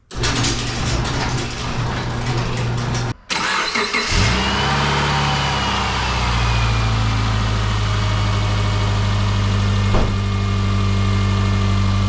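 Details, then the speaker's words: 2010 Subaru Forester, first start after replacing a water pump whose seal failed: quick crank and a clean catch into a steady, even idle with no knocks, squeals or misses, and the belts are tracking fine. "let it idle for a few minutes sounds like it's running just fine road test is probably going to give me more confidence in in that"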